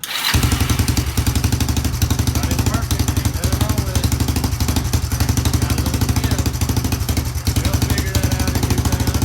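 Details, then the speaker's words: Kawasaki ATV on its first test run after a new carburetor was installed, fed from an auxiliary fuel tank: quick, even popping idle with an occasional faint skip; owner suspects it may need a new plug or tune-up. "it seems to be running pretty good and I mean yeah it's got a little skip to it it may need a new plug-in a tune-up"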